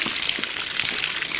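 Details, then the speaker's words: VAZ-2106 with a VAZ-21011 1.3 L engine under overhaul, cylinder block water-flow test after cleaning: a steady hiss of water rushing evenly through the block with good jets everywhere and no choking; coolant and oil passages are clear, none clogged. "верх есть есть так везде у нас струйки хорошие забитых шеек нету"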